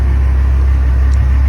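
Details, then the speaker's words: 6.8 L V10 after broken exhaust stud repair (one crooked hole into the water jacket, now a threaded rod, possibly 3/8), about 300 miles later: deep, steady idle with no ticking, exhaust puffing or misses; healthy. "um I am amazed that I was able to repair this but as you can hear it is running driving"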